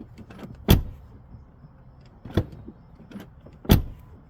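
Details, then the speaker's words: Tesla door on the side whose latch was already adjusted, hammered in for a tighter seal against wind noise and water: three solid, short, dull thuds with no rattle, sounding cleaner than the unadjusted side. Clean door close. "So it sounds different. I don't know if the phone can catch it, but it just sounds cleaner."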